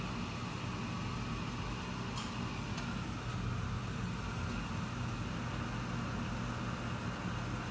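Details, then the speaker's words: Garage furnace with the burner lit, before the blower fan kicks in after warm-up: steady, even low roar with a faint hum, no popping or rumbling. Normal burner running. "I don't know if you can hear that, but the burner is on now."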